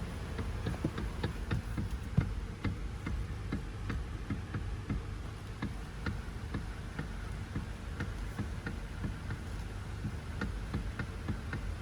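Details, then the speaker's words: Sharp, irregular ticks and light knocks as the steering turns on a Toyota Vellfire AGH30; the worn, disintegrated bush in the power steering motor coupling was found and replaced. "So selalunya dia bush dalam motor tu. Tak apa nanti kita buka tengok."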